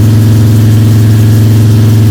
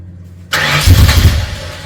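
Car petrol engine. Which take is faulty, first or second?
second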